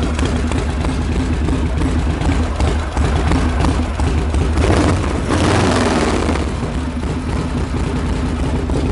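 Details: Freshly reassembled Harley Knucklehead, stone cold, not started for two days, kick started with choke open, not yet dialed in: loud, loping, lumpy idle with uneven firing and surging; rough cold idle, cause not confirmed.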